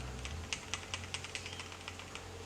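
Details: Land Rover Defender power steering vane pump, removed and turned by hand; sharp dry clicks about five a second, a noise it should not normally make; rough or damaged internals suspected, not confirmed, before disassembly.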